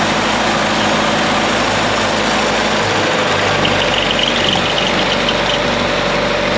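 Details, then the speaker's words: 1962 International Scout 4x4, first start after about 50 years and after priming the fuel: quiet, even idle with a faint tinny metal rattle from the engine riding over it; source not yet found. "a very quiet yeah except it's got a metal the metal rattle I seen it the motor"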